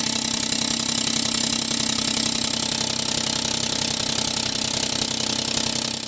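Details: 2018 Ford F-150 2.7L EcoBoost at idle: loud hissing, rapid ticking puff at each firing; exhaust leak from EGR cooler inlet tube whose weld broke at the flange; fixed by replacing tube.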